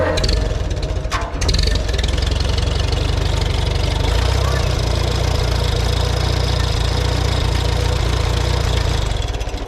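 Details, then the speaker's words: Farmall B tractor after radiator, governor and gasket work, running without muffler: light irregular ticking over engine beat from alternator fan fins touching bracket, fixed by moving bracket up on its bolt. "a little bit of a clicking here i think it must be something in this alternator i'm gonna have to inspect that a little bit and see if i can figure out where that's coming from all right i think i got that figured out here i just had to move this bracket up a little on the bolt because these fins were ticking"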